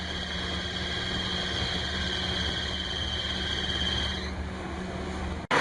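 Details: Engine running: a steady high-pitched alternator belt squeal that holds its pitch, then stops. A belt conditioner helped somewhat, but full charging needed the belt tension increased with a wrench and pry bar, which also reduced the noise.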